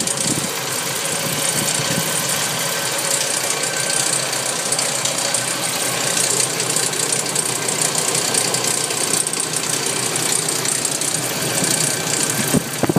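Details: Nissan 240SX at idle: a busy metallic rattle rides over the engine note throughout; the source of the rattle is still not found.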